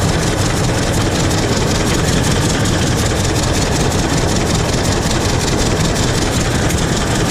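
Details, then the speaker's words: 1926 Hart-Parr 16-30 tractor, running and driving after its first start in over a decade; slow, heavy chuffing at roughly 160 beats a minute, holding a steady pace, running and pulling properly. "but the big part's done guys it starts up she fires up she runs she drives she backed here into her new home and this new shed all by herself didn't have to shove it in here"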